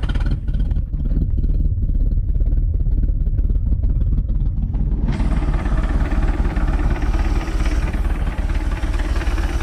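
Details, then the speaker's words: MerCruiser Alpha 1 Gen 1 3.0L 140 hp boat engine after a tune-up (new cap, rotor, points, condenser, plugs, wires, oil): cranks briefly, fires at once and settles to a steady, even idle with no misses; no leaks. "Sounds good. Alright. It's got a good idle to it too. Nothing leaking."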